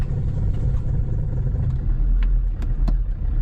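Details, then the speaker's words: Land Rover Defender TD5 diesel that stopped starting, after fuel pump priming: heavy low churning over a long crank, only barely firing near the end; hard start, owner suspects leaking injector seals drawing air and causing an airlock. "so after a little while hopefully like this we try and start now it's a bit better a bit better a bit better"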